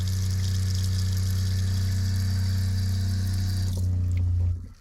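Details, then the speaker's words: Flojet water pump in a Casita travel trailer after replacing its pressure regulator: steady low drone running evenly with water flowing, shutting off cleanly when the tap closes; normal pump operation. "and you see the water pump comes right on pumps water through no problem you can hear the pump running"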